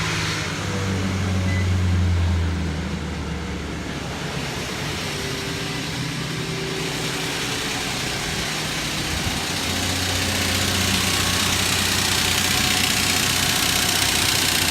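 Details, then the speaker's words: 2006 Nissan Frontier V6 cold idle: fast steady metallic knock over rough hiss, heard from head side; oil pressure stable cold but fluctuates once warm after ~30 minutes; owner blames bad oil pump, not confirmed. "2006 Nissan Frontier engine knocking I'm gonna turn it on right now to see if you can hear what the what the knocking is"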